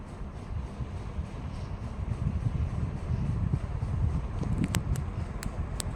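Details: KDK KY153 ceiling fan (2003 first iteration) running noisily: deep constant rumble with a droning hum and the odd faint tick; cause not evident.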